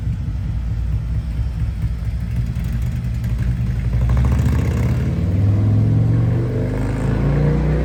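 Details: 2024 Harley-Davidson CVO Road Glide, Stage 2 with Cycle Rama CR565 cam and Thundermax tuner, taking off down the road after warm-up: deep lumpy V-twin rumble swells and pulls strongly, clean and even, no knocks; healthy acceleration.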